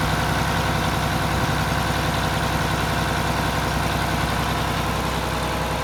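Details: Mack Superliner diesel after engine repair, first run back together: steady, even low diesel clatter at idle, no misses or knocks. Running smoothly and healthy. It previously blew white smoke (fuel pump suspected) and blew black smoke on this start.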